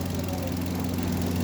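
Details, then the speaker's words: Hyundai Grand i10 (2025 model) idling after complete engine overhaul, alternator now okay: steady even low hum with no knocks or ticks; smooth and quiet. "Tahimik na, ha. Yun, oh. Tahimik niya. Ganda."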